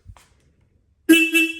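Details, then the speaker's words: Royal Enfield Himalayan, horn refitted after a Delkevic stainless header pipe install, bike switched on to test it: a short, clear, strong two-tone honk after a quiet pause; the horn works normally. "Turn the bike on, just make sure the horn works."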